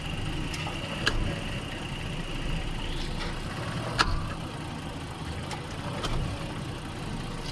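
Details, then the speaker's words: Recorded in the cabin during a test drive: steady low engine hum with single sharp clunks as drive load comes on and off pulling away forward or in reverse, goes away in steady driving; driveline clunk on load change. "so that's the actual noise you can hear come on and off when you're test driving and exactly like that but it's when you're going forward or if you're going back it's that load shifting movement"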